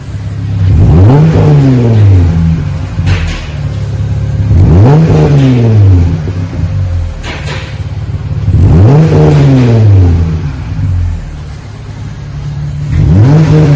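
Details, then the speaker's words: 2020 Jeep Gladiator, 3.6 V6, after the factory muffler was replaced with a single-chamber V-tube muffler; resonator, manifolds and factory cats kept: three clean blips to a deep bark, back to a steady idle. Normal exhaust note. "Okay, we have replaced the factory muffler now. The resonator, put a V-tube, a single chamber V-tube on it."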